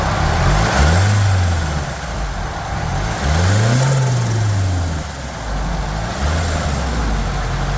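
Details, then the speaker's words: Nissan S12 with swapped SR20DET that lacked power at higher rpm, running after fuel system hose barb fitting was attached and pressurized; deep even note with smooth throttle blips, no misses; sounds very different, healthy. "That's awesome. That sounds very, very different to anything the car's ever sounded like."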